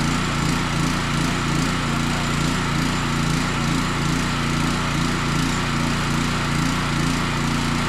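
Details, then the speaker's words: Power washer small engine after carburetor re-cleaning, started on choke: pulsing, slightly uneven beat that hunts, running a little sloppy; owner suspects leftover old fuel mixed with new, cause unconfirmed. "Still runs a little sloppy. That just might be that super old fuel that's in there, because I did mix the two because I couldn't really drain it all out."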